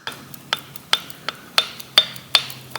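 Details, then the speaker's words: Harley-Davidson Panhead engine, Small City Cycles BF9 bike, with heads and barrels off: crisp metallic clicks about twice a second as each piston is rocked by hand on its rod. Both wrist pin bushes are worn and have play. "you can sort of just hear it there so both the pins are fogged out in the conrods here so I'm going to have to dig a bit further and pop these Pistons off and do some measuring in there and see what's going on"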